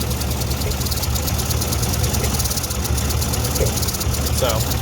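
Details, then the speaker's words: Ford NAA Jubilee tractor, restarted after sitting years, new clutch, distributor retimed and points reset: low, uneven stumbling idle; thermal gun shows two cold cylinders misfiring. Two-cylinder misfire at idle. "two cylinders right there are misfire these things can make life so much easier"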